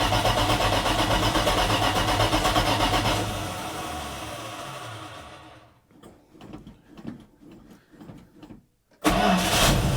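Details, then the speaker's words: 1980 Dodge W200, Magnum 5.9L V8 with Holley 600 cfm carburetor, cold start, choke wired open, 65 jets and 9.5 power valve; catches, revs, then sags, stumbles and coughs near stall; super rich mixture from oversized jets. "what in the world was super rich I going put 64s in I'll put 64s in now we'll put it back together try it and see I think that is going to be one of the that's that's why it ran so bad those jets are huge"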